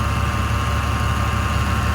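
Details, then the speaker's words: Bentley Continental GT W12 twin-turbo, a salvage auction car, idling with the hood open: a deep, steady, even rumble with no knocks, misses or whine, "purring like a kitten", running like a dream. "she is purring like a kitten man"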